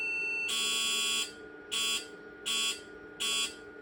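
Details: IBM PC/XT Model 5160 on the Supersoft diagnostic ROM after adding hard drive and floppy controllers: one long high beep then three short beeps, signalling a RAM parity fault (PARITY CHECK 1); owner considers swapping the remaining parity chips.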